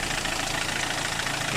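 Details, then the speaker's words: Car at idle after replacing a weak, loud (clacking) AC compressor, adding compressor oil, vacuuming and recharging refrigerant to about 200 pressure: steady even idle, soft hiss, compressor very quiet, no knocking or whine. "ตอนนี้เติมน้ำยาแอร์เข้าไปก็คอมแอร์เงียบนะครับเสียงเงียบมากเลยแรงดันก็โอเคครับ"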